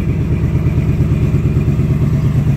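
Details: 2019 Ford Mustang Gen 3 Coyote V8, Vortech V3 supercharged (~11 psi), after replacing 10,000-mile spark plugs over an intermittent miss: deep, even burble, steady fast pulse, no stumbles; runs cleanly.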